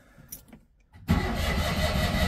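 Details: 1982 Citroen 2CV flat twin, cold start after sitting about 8 months, choke initially forgotten: quiet clicks then about a second and a half of steady cranking churn with no firing; turns over strongly but won't start.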